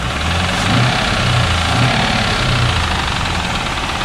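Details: 2001 Pontiac Trans Am on five quarts of straight 30-weight oil: heavy idle with a dull, irregular, somewhat muted knock under the exhaust rumble; quieter than before but still there, bottom-end source unconfirmed.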